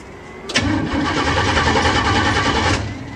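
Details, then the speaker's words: 406 engine cranked after installing a new relay fuse panel, distributor connected, fuel supplied, no cooling, car not started in a long while: starter churns rhythmically for about two seconds without catching; cranks but won't start, cause unknown. "i guess it doesn't want to start really what am i missing"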